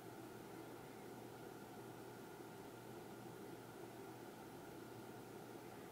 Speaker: this is a test of the ntg 4 plus with the low-pass filter off and the audio booth ventilation is on